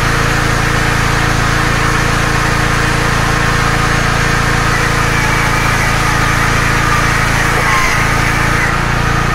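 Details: Small generator, claimed 5500W but at least 1.5kW, powering load through a multi-socket; a steady, even engine drone with no hunting, surging or knocking, running normally.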